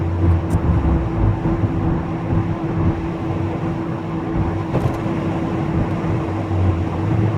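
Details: VW Golf Mk3 before repair, driving at about 50–55 then coasting in neutral to rule out engine: steady mid-pitched hum over road rumble; worn wheel bearing whine.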